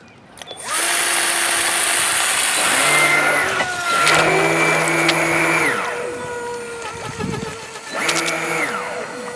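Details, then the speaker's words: 1/144-scale RC model warship during sea trials: the small electric bilge pump whirs in bursts with a steady high tone and splashing as it pumps out water put in the hull for a damage-control test; it runs normally and pumps out well. "So pumps out pretty good. I'll do it a bit more extreme while I'm not holding the camera, just to make sure the boat doesn't sink."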